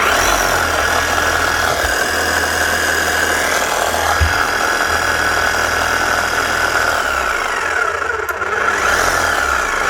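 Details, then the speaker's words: Makita HM1111C non-rotary chipping hammer, old and heavily worked, overheating, down on power and not hammering correctly: steady low dragging motor drone with little hammer punch, running very slow. "Right. Running very slow. Let's see if she even hammers here."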